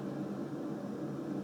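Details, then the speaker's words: Newly installed Kohler K6299 wall-hung toilet on a K6284 carrier, tank refilling after a low-flow flush: a quiet, steady hiss of running water without gurgles or pulsing. It filled quickly, a normal refill. "So that was pretty quick. It filled up already."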